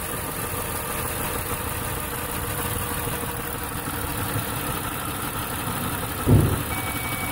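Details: 2008 Ford Taurus X V6 rough, uneven idle with a lumpy low beat: cylinder 1 dead, injector pulse code, no injector signal; the control wire from the computer (pin 52) is not carrying the signal to the injector.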